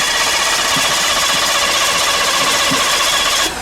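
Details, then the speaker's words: Cobra on the roadside; fast, even starter churn for several seconds with no firing at all, cranks but won't start because the fuel pump isn't running. "the fuel pump isn't going no there's no fuel pump"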